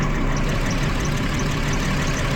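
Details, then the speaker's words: 2012 Jeep Liberty 3.5L V6 idles rough and uneven, misfiring on cylinders 1 and 5 after a coolant leak soaked the engine bay, with water exposing weak secondary ignition parts. "there's now a misfire not one but two cers one and five according to the scan data"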